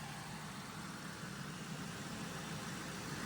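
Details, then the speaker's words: Salvage Cadillac Deville V8 idling while warming up after a new PCV elbow and the reinstalled power steering pump: steady low rumble with no belt squeal or ticking. Water pump belt and pulley are fine, with no leak. "Belt's not squealing. I guess I did get enough of the fluid off and ain't leaking there. That's just for me cleaning everything. No issue with the water pump belt and the pulley."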